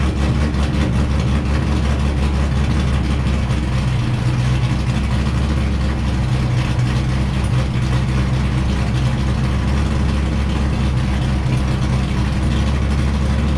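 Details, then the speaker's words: Wrecked C5 Corvette Z06, run in gear with clutch out to check transmission and diff; steady low drone, no grinding, clunks or binding: transmission and diff healthy. "i'm happy to report that test went great there doesn't seem to be any issues that popped up everything's spinning nice and smooth no grinding or binding or any weird noises"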